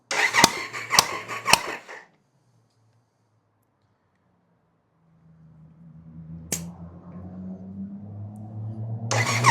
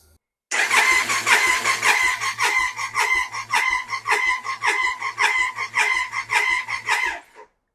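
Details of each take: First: Triumph Sprint 955 (1000cc) compression test after valve shim correction, earlier low on cylinders 1 and 2, known vacuum leaks from perished hoses: starter clicks then winds to a steady, even churn with no uneven beats; compression now even. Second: Triumph Sprint 955 (1000cc), revived after years off the road, fuel tank and coils off for compression test: starter cranks in uneven pulses with weak compression beats; cylinders 1 and 2 read about 50 psi vs 160, valves held open by the shims.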